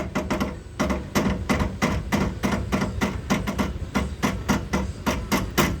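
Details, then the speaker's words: Fiat Palio, right front wheel: sharp metallic clunks about three per second from worn CV joint splines, the driveshaft having play inside the CV joint, a customer complaint. "ess semieixo tá com a folga dentro da da mocinética da junta ciné E aí ó o barulho tá vendo aí barulho ela cria uma folga"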